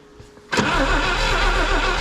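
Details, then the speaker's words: 1962 AMC Rambler wagon left for decades, primed, key on: starter spins it in a steady rhythmic churn but it never catches. No spark at the points; working them by hand gives spark, so they need sanding. "now acts like no spark all right let's take this off for now"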